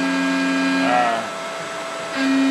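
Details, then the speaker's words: Mikini 1610L mill spindle cutting aluminum at about 5400 rpm after replacing the BLDC motor with an AC inverter-duty motor and Hitachi VFD. Steady motor tone dips briefly as the cutter bites, then recovers; it cuts cleanly and more rigidly than before. "it definitely did not chew through the aluminum like this before"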